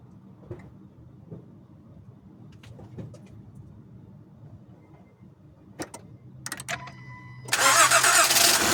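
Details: 2011-2017 Honda Odyssey, first start after timing belt kit replacement (over 12 hours of work): quiet clicks while waiting, then the engine catches and settles into a strong, even run; normal start.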